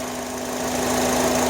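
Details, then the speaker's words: 2005 Honda Accord EX 4-cylinder idling: a steady hum with a faint whistle, present idling or driving, loudest around 30 mph, whether cold, warm or hot. Owner suspects vacuum, throttle body or intake manifold (unconfirmed). "It doesn't matter if the car is idling or not. Usually it gets louder when I'm running at about 30 miles an hour, and it doesn't matter if it's cold or warm or hot. The car, it always makes the sound."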